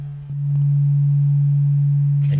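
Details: Adcom GFA-555 amplifier fed a 1,500 Hz signal-generator tone, microphone at the right channel: pure clean tone, no buzz or harshness; the left channel, by contrast, was distorted from having virtually no bias.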